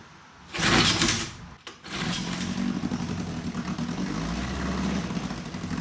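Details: 1954 Johnson Seahorse 3hp two-cylinder two-stroke outboard in water, no neutral, mixture leaned, a little choke, fuel turned on: a quick pull, a sharp burst, then a steady buzzing run with hot water coming from the exhaust, running healthily.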